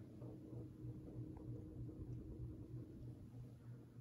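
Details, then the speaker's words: 30-inch Westinghouse Wengue ceiling fan on low in a guest bedroom: low hum with a soft rhythmic thump about three times a second, an unusual pulsing noise of unknown cause that the owner doesn't remember it making before. "I don't remember it making that noise I don't know what it is this is a fast little thing it was"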